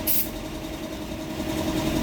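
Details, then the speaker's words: Toyota Vios idling with aircon on: uneven, hunting idle with rpm drifting up and back down; mechanic suspects startability malfunction or oxygen sensor, fault code being checked, cause not confirmed. "Ayan, tumaas na naman oh."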